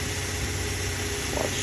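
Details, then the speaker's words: Toyota Hilux 3RZ-FE 2.7 L gasoline, idle screw turned below the proper idle of about 900–1000 rpm: low, slow, choppy idle with shaking, stumbles and misfire because the idle speed is set too low. "let's see idle it down starting to shake and misfire right now because it's idle in too low"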